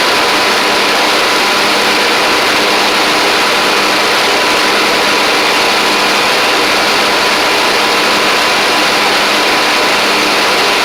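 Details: Troy-Bilt Pony riding mower with replacement engine and new head gasket, slight smoke at startup: steady small-engine drone holding one speed, no misses, knocks or surging.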